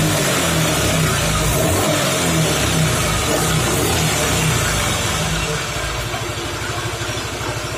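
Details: Suzuki Nex FI scooter, weak on hills: a loud, rough, uneven rumble while the rear wheel spins that fades when the wheel is braked; CVT or gearbox suspected, and worn gearbox bearings and a broken roller housing were found.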